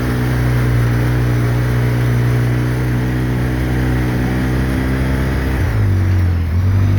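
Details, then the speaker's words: 2013 Polaris RZR 800S 2.0 after an engine rebuild, creeping and driving: a steady, even engine drone easing down smoothly, with no knocks or misses. Cooling and driving as it should; the rebuilt engine is healthy. "it's creeping and crawling just fine it sounds good cooling like it should driving like it should"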